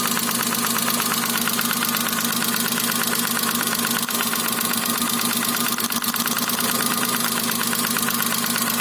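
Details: Daewoo Matiz 0.8 with ignition module at idle: light, uneven tapping about once per second over a steady idle; knock from cylinder 1, later resolved.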